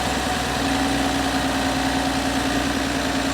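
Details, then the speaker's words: 2025 Ram 1500 Rebel, 3.0 SST twin-turbo inline-6, 2,500 miles, check engine light with many codes: restarted idle with an uneven stumbling beat, misfiring worse than before; owner has an unconfirmed suspicion, looking for air bubbles. "yeah this is no good guys this is no good"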